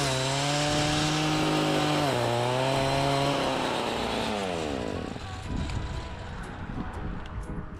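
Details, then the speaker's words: Echo two-stroke weed whacker after broken drive shaft repair, test cutting weeds: steady high buzz dips briefly biting into weeds, then winds smoothly down; running normally, repair appears fixed. "Well, there you have it. I think it's fixed."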